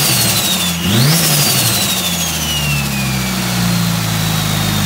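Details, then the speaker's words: Rebuilt 2.37 stroker 4G63T Mitsubishi Lancer Evo 5 (600+hp build) on first start-up after fuel tuning; revs held just over 1000 rpm to keep oil pressure up. Quick blip, then a smooth steady fast idle with no knocks or misses; normal revving. "see the revs to keep the oil pressure up just over a thousand rpm"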